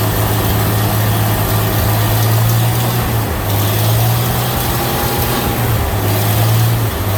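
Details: 1936 Chevy pickup, open exhaust with no exhaust system yet, splash-lubricated dipper engine; deep idle surging and dipping every second or so, rough idle, owner doesn't know why.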